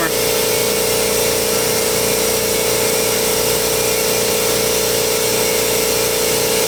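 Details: New air compressor during its break-in run, valve open, regulator turned: steady, even, fairly quiet motor drone with a fast pump pulse around two per second, no knocks or rattles; normal running.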